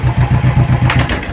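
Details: Royal Enfield Thunderbird 500cc fuel-injected single, started with clutch pulled in. Thumps at about eight per second weaken and fade within a second and a half as it is put in gear: the engine stalls when put in gear.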